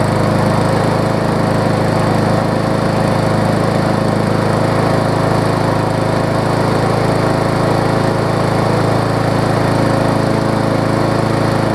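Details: Briggs & Stratton Classic push mower engine after repair: the small single-cylinder engine holds a strong, even drone at steady speed with no misses or surging, running well.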